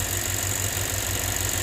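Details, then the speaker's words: 2007 Lexus IS250 crank-no-start, possibly jump-started backwards, MAF, throttle-position and coil codes P0102–P0356, after repair: even steady idle with no misses or knocks; now running normally. "I think uh I think we fixed this guys I don't see a mass airflow thing in here but uh I'm confident that we fixed it in here yeah that's good"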